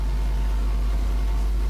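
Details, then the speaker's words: New ASUS-motherboard desktop feeding a small mixer and Yamaha HS5 studio monitors: a constant deep hum that never changes pitch or level, a grounding problem in the speaker chain. "i realize of course that is a grounding problem"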